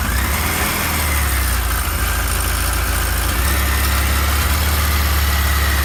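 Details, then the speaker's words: Original, stock one-owner 1978 Kawasaki KZ1000 A2 motorcycle, 6,224 miles, stock exhaust: steady, even four-cylinder idle with smooth low thrum, no misses or knocks; normal idle, no smoke. "Let's start it up. It runs good. Got to pull the clutch in."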